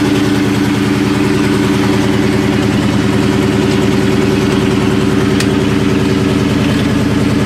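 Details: Supercharged 99-04 New Edge Mustang GT (Vortech V1 Ti-Trim, 2.87 pulley, BBK 78mm throttle), initial startup after a shop's tune: lumpy idle with uneven thump about every third of a second over supercharger drone, one cylinder misfiring.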